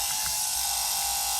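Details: Rear OEM bus air-conditioner blower motor running free on the bench after disassembly, brushes reseating on the commutator: steady, even high-pitched whir with no grinding or rattle; motor sounds healthy.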